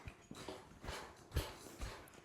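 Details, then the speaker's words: Brand-new trifold Cellerciser rebounder after its springs were oiled with 3-in-1 oil. Soft, dull thuds about twice a second with no creak or squeak, much quieter than before. Normal quiet bounce. "So so much more quieter. So much more."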